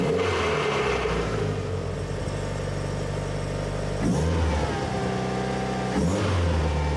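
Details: Car with a twin-disc clutch: the engine pulls up from low revs with an uneven shuddering rattle as the clutch takes up; twin-disc clutch chatter on engagement.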